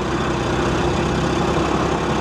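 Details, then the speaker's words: At auction: steady petrol idle with a faint light ticking riding over it; unclear whether an accessory pulley or top-end chatter. "Guys, I can't tell if that's an accessory pulley or if that's like a top end shatter."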